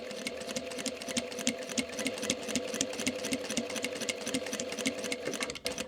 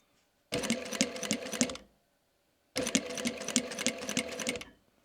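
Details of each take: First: Sewing machine with a fresh needle stitching microfiber sample: quick, even stitch ticking with no catches or thumps; needle pierces cleanly, normal stitching, unlike the knocking of a blunt or burred needle. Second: Teraz założyłem igłę z zadziorem. Mam nadzieję, że słychać takie jakby szarpnięcia,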